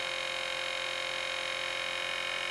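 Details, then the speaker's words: Film camera (NPR) motor running at non-crystal variable speed in slow motion; steady, even high buzzy whine, noisy but typical; normal camera motor noise. "you can see, as you can hear, it's quite noisy when it does slow motion, like every other camera is."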